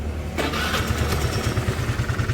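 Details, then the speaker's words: Suzuki Lets scooter after refitting the cover: quick crank and catch, then steady even idle putter without knocking or rattle; engine noise fixed. "य देखिए कर दिया start कर दिया अभी कुछ इसका साउंड नहीं अभी पूरा टिप टप हो गया"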